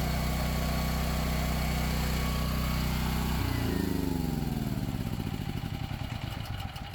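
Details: Power Stroke 6000 W 389cc petrol generator, 76 hours, after carburetor clean and fuel filter replacement: even steady single-cylinder thrum holding speed under a fan load before winding down; normal running.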